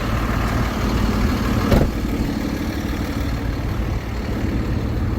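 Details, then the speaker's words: 2013 Ford F-750 Altec bucket truck, 6.7L Cummins turbo diesel, 72,000 miles, idling with the PTO activated to run the boom hydraulics. A steady low, even idle with no misses while the hydraulics run smoothly. Normal. "All right, what we're gonna go ahead and do, activate the PTO. Activate the PTO."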